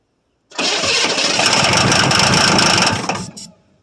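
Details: 1982 Chevrolet Silverado K10 with 6.2 L diesel, sat about 22 years, new batteries: starter spins steadily about three seconds with no firing; crank no start, fuel not getting to engine though it briefly ran.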